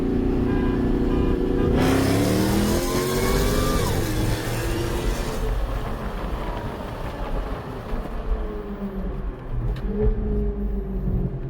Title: Dodge with a Whine Sound | Jag